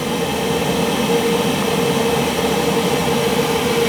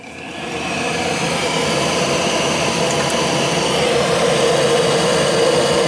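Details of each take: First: Gas boiler on a Sunday no-heat call after the control board was replaced and rewired: steady, even roar with constant fan and flame hum, no popping or rumble. Burner lit and firing cleanly. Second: Gas boiler, no heat: the vacuum switch tests good, but the hot surface igniter gets no voltage. Inducer spins up into a steady rising whoosh with no burner light-off. Failed control board.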